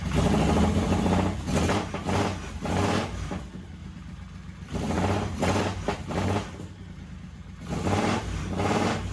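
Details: 1985 Honda VT1100 Shadow V-twin on its first run in 25 years, after recharging the carburetors with fuel (front cylinder compression 140 psi): it catches and revs in bursts, dropping back between blips, with a lumpy but firing beat.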